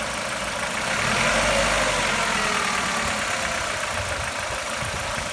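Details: Chevrolet Lacetti 1.6 engine at hot idle: a steady light knock about four a second rides over the engine hum, source unclear; engine knock when hot.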